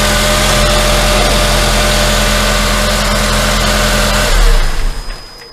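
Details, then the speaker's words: Honda Accord after serpentine drive belt replacement (part 7PK1780) and tensioner check: even, steady idle, smooth hum with no chirp or squeal from the belt; everything good. "okay looks good there's no squeaking nothing and everything is perfect"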